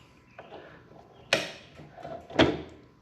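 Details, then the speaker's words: Restored HDC DPMINI15 mini drill press, likely early 2000s, stored about 10 years: two sharp clicks about a second apart as the quill bottoms out, the return spring mechanism popping out of its seat; quill return spring clicking. "Ooh, the spring mechanism right here is popping out and making a clicking noise whenever I go all the way"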